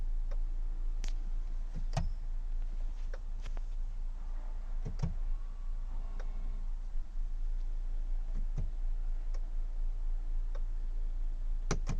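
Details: BMW E90 330d, charged battery, no crank: sharp uneven clicks a few times a second with no cranking over a low hum; fixed by replacing the starter motor; no-crank clicking, failed starter motor.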